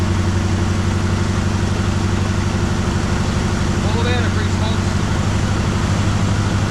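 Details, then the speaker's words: 1973 Chevrolet Malibu V8 donor car, first start after sitting about 25 years, on fresh gas with radiator full of antifreeze: low, lumpy idle with uneven popping misfire, cleaning up one cylinder at a time. "It's uh as you can hear, it's uh popping and squeezing, cleaning up one cylinder at a time."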